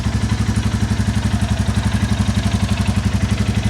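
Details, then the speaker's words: 2022 Royal Enfield Classic 350 (stolen and recovered) at idle before valve adjustment: steady single-cylinder thump with light quick top-end tick on each beat, loose valve clearance; a lower-end tap later suspected to be an exhaust joint blow. "you can sort of hear the top end that happing but also it's doing it from the bottom end as well so we got the top end tick and from the bottom end as well"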